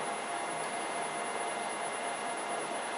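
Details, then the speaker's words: Rebuilt LT230 V8 transfer box mated to an early LT77, spun on the bench with one output shaft held: steady high-pitched whine from the straight-cut centre differential gears while the front shaft speeds up; the differential is working. "These gears are coming to operation, and because they're not like on a helix, they're just flat gears, they're making that noise. So that differential is working."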